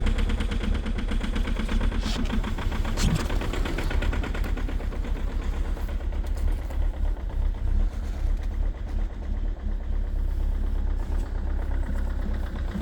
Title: EXTREME COLD START at -16°C with a very strong knocking sound part 2 #rybin